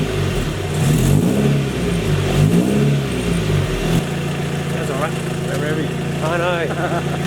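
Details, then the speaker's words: Honda Prelude FWD drift car, sat abandoned, running after a new timing belt (original since new) and new fuel filter. It revs briefly, then settles into a steady, even idle with no flappy or slapping belt noise. It runs happily. "car sounds like it's running happily"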